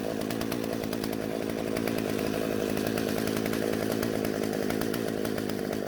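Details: Husqvarna chainsaw that wouldn't start, after the carburetor L screw was turned out for more fuel; two-stroke holds a strong steady high buzz with no bogging or cutting out; normal running.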